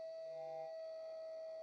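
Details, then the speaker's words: Gas burner on a Castle steam boiler plant: steady, pure whistle near 650 Hz with no pulsing, like a steam locomotive whistle. Burner howl from combustion resonance. "i must say though the howl sounds very good a bit like a steam locomotive whistle"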